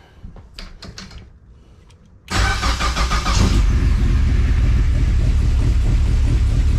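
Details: Project car after its fuel starvation (lean above 2.5–3k rpm) was fixed by cleaning the tank and fitting a Holley drop-in pump: quiet pump clicks, brief crank, then it catches and settles to a steady, even idle.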